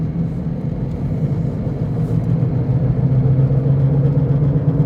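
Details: Toyota Prius driving: low steady droning hum under road noise, growing louder, with grinding and vibration; bad wheel bearing suspected.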